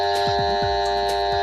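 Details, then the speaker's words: Table fan set to speed 2 or 3 gives a steady electrical hum and buzz with no rise in pitch; the motor is powered but stalled. It still won't run after a new capacitor, and the shaft/bearing is suspected of seizing. "ஆனால் கெப்பாசிட்டர் புதுசு மாற்றிட்டோம், ஆனால் ஓடலை. இப்போ இது எதனால் அப்படிங்கிறத நம்ம பார்ப்போம். ஓகேங்களா? இது என்ன பிரச்சனைன்னா இந்த சாஃப்டாக தான் இருக்கும்."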